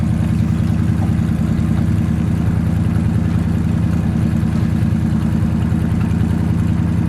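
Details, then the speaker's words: 1975 Dodge Charger Daytona with a 360 CI V8, automatic, and an exhaust converted from the original single system, revved: a steady, even V8 burble that stays fast and won't settle, idling high. "Give it a rev. It sounds like it's a little high idle right now."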